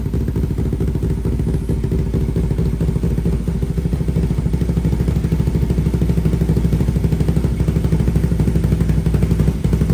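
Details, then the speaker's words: 500cc single-cylinder mini bike at fast idle with new full stainless exhaust and high-flow muffler, quick, even popping and no rattle after the loose baffle screw was refitted; exhaust sounds right, carb still needs tuning. "it's actually fired up again see how it sounds new [Music] ble sounds way better"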